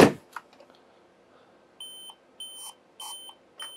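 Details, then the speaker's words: Dell 17R laptop at power-on: four short, even beeps, a POST memory beep code. It rejects the RAM (these Dells are picky about memory) and needs different or more RAM. "yeah hear that bomber all right looks like i need some more ram but i can at least stall uh linux with the 8 gig in there"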